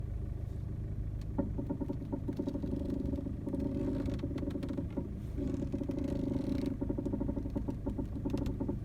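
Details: VW Golf Mk7 1.6 TDI idling: rubbing creaks and irregular light knocks come in bursts as the steering wheel is turned; owner notes this sounds like a common Mk7 problem.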